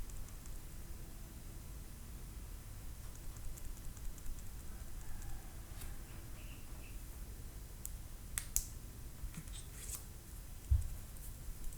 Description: My brand new Samsung Galaxy Note 9 is producing a Rattling Noise form the Camera and S Pen when I shake it.